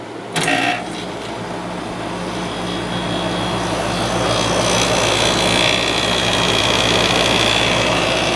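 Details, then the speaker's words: 7500 BTU Fedders window air conditioner with Rotorex compressor, started on low fan; click at start-up, then steady low hum with rising fan hiss; compressor always a bit loud but even, no rattle or grinding, still works fine. "this compressor is always a bit loud in this one I have another 7500 with the road rcks and that one's quieter but it still works fine"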